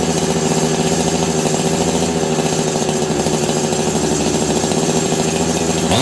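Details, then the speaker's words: Husqvarna 385 chainsaw that sat for years, running after the clutch was found grabbing the chain brake: it screams at steady high revs with a buzzy, raspy note. Owner is pretty sure it has an air leak; not yet confirmed. "I think this saw has an air leak I'm just gonna grab my it's a very clean pretty sure this saw has an air leak"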